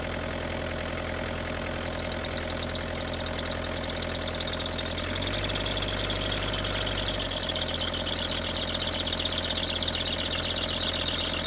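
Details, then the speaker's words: Kubota KX121-3 excavator with an overheating problem, diesel idling: a thin, high, wavering squeal over the engine. The owner believes the belt driving the water pump, fan and alternator is slipping. "I have um an issue with the machine if you didn't realize on that first clip that I showed that it squeals a lot and um this is an ongoing thing and I'm pretty sure it's related to the Belt that drives the water pump"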